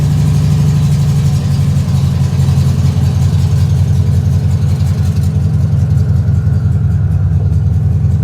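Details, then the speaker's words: 1967 Volkswagen Beetle just after reinstalling the engine with fresh oil and cleaned oil screen: low, lumpy idle with an uneven beat about every third of a second, then the engine dies; owner suspects a misfire, not confirmed. "Kind of sounds like we might have a little bit of a misfire. So we'll want to check that."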